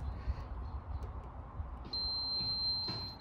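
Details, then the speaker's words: Mitsubishi L200 whose battery goes flat in about a week, drawing about 400 mA against a 50 mA maximum: amp hound probe on a miniature fuse gives a steady long tone with no change, so that circuit draws no current. "what we're listening for is a change in the tone okay so hear that long tone"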